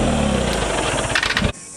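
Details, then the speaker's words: Dodge Travco motorhome generator on propane, tank left open about six months and holding moisture: rough, wavering roar then sudden stall under two minutes after the water spray came off; moisture freezing in the LP regulator. "Okay. The generator just stopped. It's been probably less than 2 minutes since we took the water off of it. Moisture inside of the LP system freezes as it goes through that regulator."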